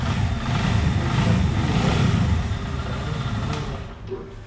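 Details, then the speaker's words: CFMOTO 150 NK motorcycle on acceleration: deep, rough engine drone fading as revs fall with hollow knock underneath; piston skirt slap, attributed to high temperature or excess stress, piston replaced. "On appelle ça un cognement de la jupe du piston. C'est généralement dû à des températures élevées ou à des contraintes excessives."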